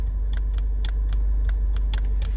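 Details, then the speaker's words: Mazda MX-5 with aftermarket automatic roll-up window controller, engine idling: sharp repeated click about three times a second with each switch press, no motor whir; window doesn't move, controller malfunctioning. "Clicks with this switch, but the window doesn't actually fucking work."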